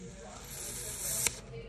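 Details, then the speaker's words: Oxy-propane torch melting precious metals: steady sharp hiss grows louder as oxygen is increased and the flame stiffens, a normal adjustment. "so by increasing my oxygen you're going to hear it hiss so I'm going to increase this"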